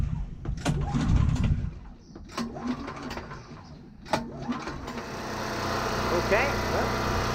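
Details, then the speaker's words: New Champion 3000W gas generator during break-in: after some pulls and handling noise it starts on the first pull and holds a steady, even hum with no surging, roughly 58 decibels as specified; running fine. "running really nicely specifications say run is that about 58 decibels I would say that's probably about right it's not due to loud"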